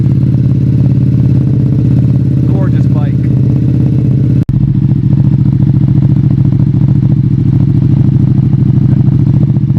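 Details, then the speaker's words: Ducati Panigale V2 with new slip-on exhaust and flash tune, cold start: steady, even throaty idle with a clean regular beat, no knocks or rattles; healthy cold start settling in. "So we'll start it up and we're gonna let it warm up for a little bit, but let's see how the cold start sounds."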